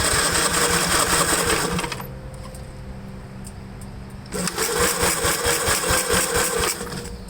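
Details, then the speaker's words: 1954 Gravely model LI tractor, fuel flow restored after carb cleaning, weak battery: steady cranking chuffs about two per second, never fires; owner suspects no spark and magneto points needing cleaning. "yeah i'm almost thinking that uh i have to take the magneto off and clean the points"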